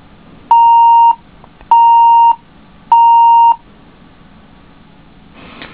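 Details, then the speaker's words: HP DV5 laptop powered on with RAM removed: three long, evenly spaced mid-pitched beeps, the normal missing-memory code; laptop also has a black-screen video fault and a bad bottom RAM slot. "if I take the ram completely out and power it up it should beep like it's supposed to"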